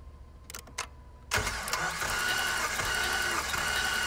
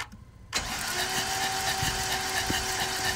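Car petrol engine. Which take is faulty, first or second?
second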